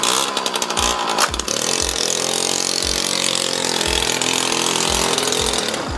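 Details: Suzuki JR50 small two-stroke dirt bike after fix (tires aired, chain lubed) buzzes crisply and evenly, pulling cleanly while ridden around the yard with no misfire or stumble; running healthy.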